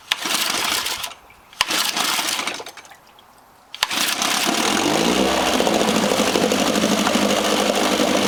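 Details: Johnson 4 HP outboard in neutral after repair: two pulls that don't catch, then it fires and settles into a steady, even idle with no misses.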